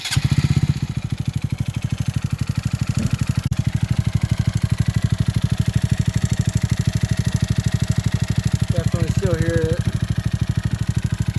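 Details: Honda Grom idling, valves just adjusted: heavy, regular thump about three times a second dominating the exhaust note; owner suspects rod knock, cause unclear.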